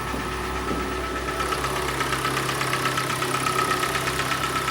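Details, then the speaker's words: Hyundai i40 G4NA engine, 113,000 km, at idle, louder when cold: scored cylinders causing a dull, hollow piston-slap knock a little over once per second. "как и у всех обычная болезнь случилось задрал автомобиль цилиндры стучит бренчит"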